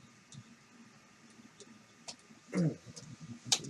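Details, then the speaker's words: Tronxy X1 3D printer extruder trying to push filament with no print output: sporadic uneven sharp clicks about one a second; extruder gear skipping against a clogged hot end, later cleared of stuck cold material. "Right, that doesn't seem like it's gonna work. And you can hear it clicking. Maybe I put something together wrong. Maybe it's clogged."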